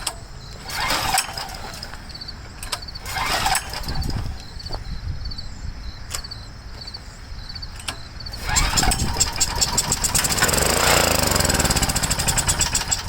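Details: Homelite 389cc generator (Honda engine), no start; several rough pull-start attempts unchoked, then a brief uneven run with help from spray, carburetor mounted without the rest of the parts. Fuel starvation from a dirty carburetor with clogged passages, poor fuel flow.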